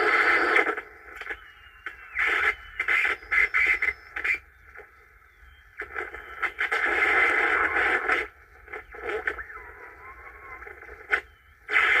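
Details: 1950s Angell 6-transistor AM radio, first power-up after resoldering and fitting batteries: crackling static bursts come and go under a thin whistle. The owner suspects bad capacitors or the antenna; not confirmed.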